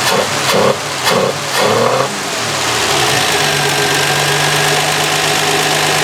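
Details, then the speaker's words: 1966 Canadian Valiant six-cylinder, not started in 10 years, carb mixture richened: a few throttle blips, then an idle short of a cylinder, running on five of six because a spark plug wire was off; fixed by reconnecting it. "well this is rather embarrassing i had a spark plug wire off it was only running on a on five out of six now it's running on six good"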